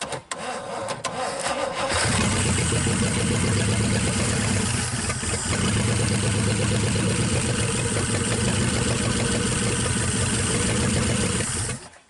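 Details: 1963 Pontiac 389 V8 first start, on jump box: short crank, then catches and settles into a steady, lumpy idle for ten seconds with no knocks; running normally.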